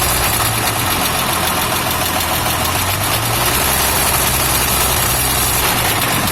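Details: Toyota FJ60 at idle: steady lumpy idle with a faint constant high hiss, suggesting air drawn in; owner suspects a vacuum leak, unconfirmed.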